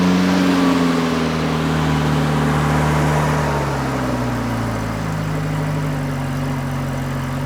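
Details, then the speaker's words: RA28 Toyota Celica, first cold start of newly installed engine after cleaning rust-blocked thermostat housing and tightening leaking carb nuts; catches, revs briefly, eases into steady even idle without knocks or misses, coolant reaching 36 degrees, water pump circulating; normal cold start. "Great to hear that thing fire up again, even though we knew it was a viable engine to start with, but it's now in its forever home, and all we've got to do is make it nicer to deal with on a day-to-day basis."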